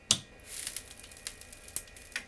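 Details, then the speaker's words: IBM G74 CRT monitor at first power-on after reconnecting, with old grease smeared as insulation: sharp irregular snapping cracks and hissy bursts over a faint whine, high-voltage arcing not visible; no image, standby LED flashing. "yeah that definitely sounds like arcing but I can't see anything what is going on with this display"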